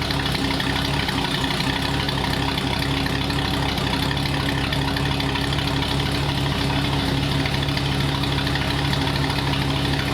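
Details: 1939 Ford hot rod V8 with Ford ram horn manifolds and a new custom true dual exhaust: deep, steady burble holding constant pitch with no misses or knocks; idles evenly.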